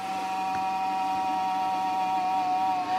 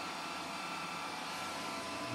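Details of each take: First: Old desktop PC powering on with a 40 GB hard drive fitted: steady mid-pitched fan and drive whine during boot, no knocking or grinding; normal boot noise. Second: Old PC with 40 GB Maxtor hard drive at power-on: loud, steady airy rush with faint high whine from drive and fans; abnormally loud hard drive and fans.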